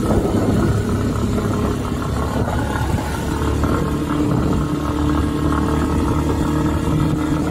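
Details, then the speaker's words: Rusi Nova SS150 motorcycle at idle: steady single-cylinder idle with faint quick light ticking over the exhaust note; owner unsure whether fuel or spark plug (plug rusts easily); engine ticking noise, source unknown. "Tapos guys, ang pinakamatindi kong experience dito yung yung lagatik-lagatik yung sa makina. Oo, merong tunog sa makina na hindi ko mawari kung ano yon."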